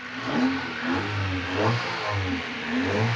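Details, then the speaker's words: Honda EF Civic after repairs including a replacement intermediate shaft: repeated clean throttle blips rise and fall smoothly with no clatter or hesitation; engine revs freely, running good now. "She running good now."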